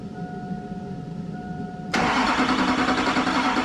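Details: 2001-04 Chevrolet Duramax LB7 diesel after injector replacement and fuel priming: brief crank, then it catches instantly and settles into an even, steady idle with no misses, a healthy start.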